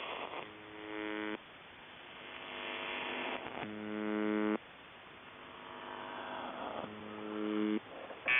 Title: Weird Buzzing Sound On The Buzzer 7.2.2025